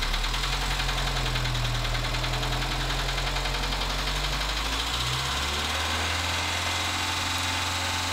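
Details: Dacia Sandero, D4F 1.2 petrol engine, idle then revved: a quick irregular ticking knock that climbs with the revs and settles back, an internal knock. Low oil and a possible spun bearing are suspected, not confirmed.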